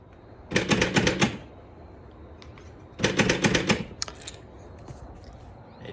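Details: BMW E53 X5 rear tailgate lock: rapid bursts of sharp mechanical clicking from a latch with a broken return spring.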